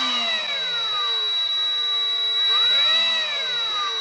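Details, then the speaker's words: Milwaukee rotary tool with electronic speed control: steady high-pitched 3900 Hz carrier whine holds constant while lower motor and fan tone sweeps with speed; normal controller whine. "so that's that high pitched wine you can hear when you start up tools that have that kind of control that have electronic control that aren't just kachunk kach Chunk on off that's carrier frequency well within audible human hearing range irritating as hell"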